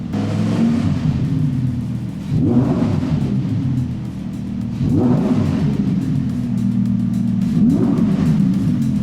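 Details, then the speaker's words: 2020 Audi R8 V10 after repair of a rattle traced to the rear silencer box (cats fine), now fitted with a new exhaust; three clean throttle blips over an even idle with no rattle. "Yep. Not rattling. No, I think that's what it should sound like."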